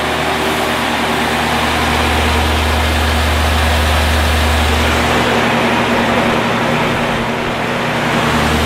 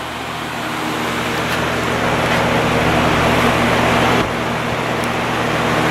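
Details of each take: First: 1950s Patton 18-inch High Velocity fan, 3.2 A GE shaded-pole single-bearing motor, after reassembly: steady motor hum under a buzzing rattle on both high and low speeds, consistent with end play in the fan shaft. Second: 1950s Patton 18-inch High Velocity fan, 3.2 A General Electric shaded-pole single-bearing motor, running on high before repair: even, steady whir with low motor hum and no clanking, much quieter than usual, balance good. Clanking appears on low.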